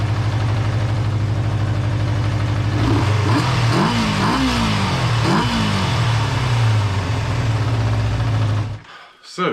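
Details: Kawasaki GPz400R after cleaning fuel pickup blocked by gummy old petrol, replacing inline fuel filter and adding fresh fuel: steady, even idle with clean rev blips, no misfire or stumble; runs normally.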